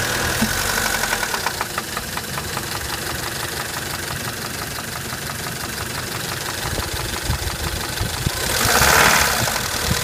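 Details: Mitsubishi Pajero Mini H56A with the 4A30 engine, idling with a sharp metallic clack about four times a second from inside the engine; owner suspects a lash adjuster or a bearing, unconfirmed.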